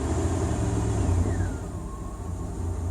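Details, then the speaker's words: 2001 Dodge Ram 1500 petrol engine, warm idle about 600 rpm, after stalling on throttle was fixed by cycling the throttle position sensor and cleaning the throttle body: blips up, then settles to a steady idle without stumbling or dying. "seems like it's cooperating now"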